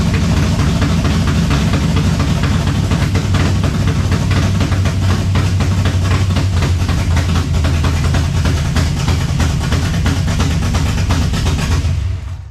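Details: 1970 Chevelle V8 with Holley Sniper 2 fuel injection, alternator unhooked, warming up: deep, loud idle with a slightly uneven, lumpy beat that holds steady then cuts off; rough idle, suspected IAC, cap, rotor or valves, unconfirmed.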